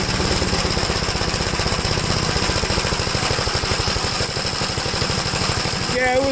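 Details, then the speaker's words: 1969 Gravely LI intermediate-speed tractor sputtering and running rough with fast, uneven chuffing pulses after being flooded; owner suspects carburetor trouble, maybe a sticking needle and seat. "something's going on with the carburetor that's for sure maybe a needle and seat sticking"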